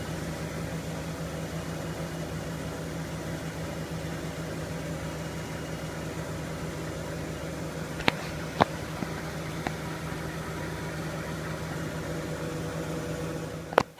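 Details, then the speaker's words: Miele W562 Prestige Plus 6 washer, Cottons 60°C with Water Plus: steady even hum of drum spinning at speed after long balancing, stable with no wobble or thumping. "it's really stable though you see the unbalanced wears off really"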